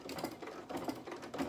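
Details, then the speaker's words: Sewing machine at reduced speed with walking foot, stitching through a bulky denim jacket cuff: slow, heavy stitch clunks in short bursts about every half second, the machine labouring on thick fabric and starting to struggle. "my machine just starting to struggle slightly so we can hand crank it if we need to just one stitch at a time"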